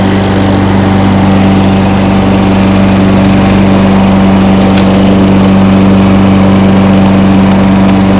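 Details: John Deere 14SE mower with a Kawasaki FC150V small single-cylinder petrol engine, cold start. A steady, even putter with no knocks or misses. Normal idle.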